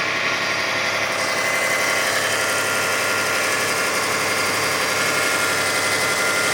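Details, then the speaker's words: 2005 Kia Sedona 3.5L petrol V6 at 116,000, just after new timing belt, tensioners, idler, water pump and harmonic balancer: quiet at startup, then about a minute into the warm-up, still on high idle, a rapid ticking clatter starts; cause unidentified, timing marks rechecked. "Still on high idle as it warms up."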